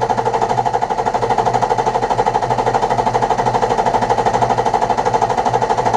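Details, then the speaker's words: BMW F01 730d, N57D30 diesel, after all six Bosch injectors were replaced with factory remanufactured units to cure a tapping/knocking noise: steady, even clatter with no misses or knocks; injector values now within ±0.4; normal diesel idle. "so i drove around a little bit feels good sounds good engine it's okay"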